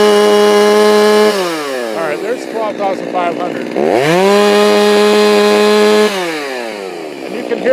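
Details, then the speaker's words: Stihl MS390 chainsaw with aftermarket HiPa carb replacing Walbro OEM, tuned slightly leaner from about 12,200 to 12,500 rpm, no-load wide-open: steady scream with slight burble at top, four-stroking as a safe tune should; owner thinks maybe still slightly lean. "you can hear it kind of floor cycling at the top end. You know, kind of as I get wide open."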